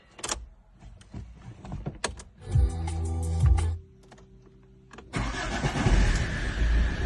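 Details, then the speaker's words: Diesel car first start after fitting a new starter (old one was lazy), glow plugs cycled twice first: a few clicks, then a brisk, even one-second crank before it catches and runs; starter now turns it over properly, normal start. "Uus starter on küljes, see on kuskil seal vahel. Lampi viitsi otsida, aga vast olla. Vaata, mis häält ta teeks."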